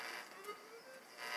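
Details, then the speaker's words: Atari 5200 console audio after reseating the POKEY chip: thin, hissy static with faint buzzy tones and no bass; crackling traced to two failing capacitors, to be replaced rather than the POKEY chip. "But you can hear I'm still getting static. So the problem with this one is these two capacitors."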